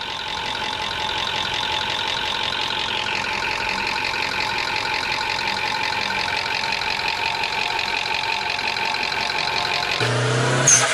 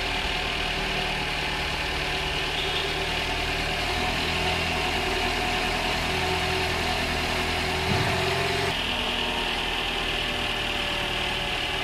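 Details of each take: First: High-mileage Toyota engine, over 300,000 km, at idle: light, quick top-end ticking clatter present hot or cold, at any speed; valvetrain noise from oil sludge, before engine flush. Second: High-mileage Toyota, over 300,000 km, after second engine flush with new filter and oil: steady, even idle, smooth hum, no top-end ticking or tapping; top-end noise massively reduced.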